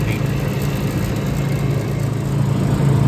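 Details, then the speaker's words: Hoshizaki ice machine that had been stopping on a 1-beep high-pressure error, running after rewiring. Even low hum with a soft steady pulse and no trips or cut-outs. Running normally. "all right so final episode she actually did not start tripping on high pressure"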